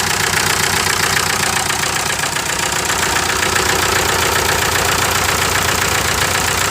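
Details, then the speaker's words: 1998 VW TDI diesel, ~500,000 miles, run on 80% waste vegetable oil; rough idle, uneven thumping about 2.5 per second over a hissing breather. Misfire and heavy blow-by from a stuck ring, pressure now pushing the cap almost off. "You can tell it's just misfiring pretty bad. It's a lot of pressure. Before I didn't have this. Now it's pushing the cap almost off."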